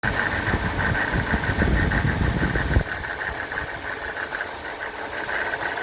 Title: BMW E60 545i N62 engine rattle noise from right bank